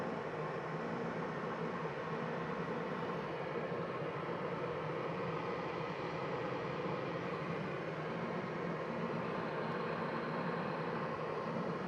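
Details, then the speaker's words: 1987 Porsche 911 Carrera Cabriolet cabin heater blowers with all fans on, heater turned on at the lower dial; steady even rush of air with smooth hum, no ticking or rubbing; normal blower operation, servo motors audible in the box. "Here's what it sounds like with all the fans on."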